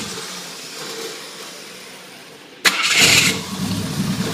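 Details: Carburettor bench-tested on an engine after overhaul: a quiet hiss, then the engine catches instantly and settles into an even idle; clean start, carburettor working properly.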